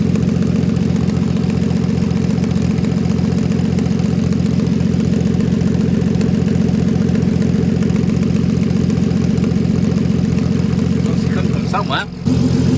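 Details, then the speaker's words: VW Golf R32 Turbo (MK5) on first start on a cold morning after the cracked exhaust manifold was welded and refitted without a new gasket. Steady idle with fast, even ticking puffs; exhaust leak between head and manifold, reseal planned, possibly with a new gasket. "So it sounds like it's coming from the exhaust, between the head and the exhaust down here."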